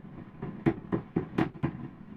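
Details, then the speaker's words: Pioneer SX-838 vintage receiver, noise only on phono inputs: background hiss with sharp crackling bursts, about five in under a second, as the preamp board is tapped; microphonic PNP preamp transistor, replaced with 2N3906. "there's my noisy boy right there that's Noisy Boy it's what we call a microphonic transistor"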